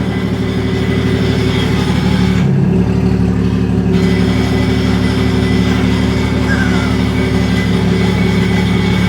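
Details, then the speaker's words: Toyota Mark II JZX100 with twin-plate clutch at idle and a short rev under slight load: low, uneven metallic chatter, first suspected release bearing, judged normal twin-plate clutch rattle, quite low, probably alright. "plate cuzzy. That's when you hear that noise. That's when you know."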